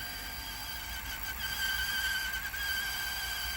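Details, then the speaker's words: Toshiba KV-4000 V-Cord VCR reel motor: thin, steady high squeal over a faint hum; the owner suspects its belt is 1 mm instead of the proper 2 mm and slips, unable to deliver torque to the idler tire. "the squealing is just par like the belt slipping and all that"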